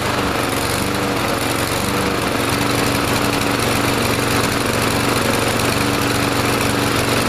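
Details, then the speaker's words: Troy-Bilt TB230 169cc 4-stroke gas lawn mower after carburetor cleaning and Sea Foam treatment: holds speed but the note wavers and hunts instead of staying even, still not quite running right; faulty automatic throttle governor, later fixed by rewiring it. "Maybe good just to let the lawnmower run a little bit cuz you could hear it was still a little bit funky. It wasn't quite running right."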